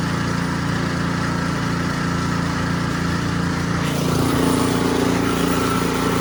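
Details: Ariens Sno-Tek 24-inch snowblower, model 920402, 208 cc engine, after the impeller clunking fix: even drone lifting slightly as auger and impeller engage, no clunks or rattles; running smooth and quiet.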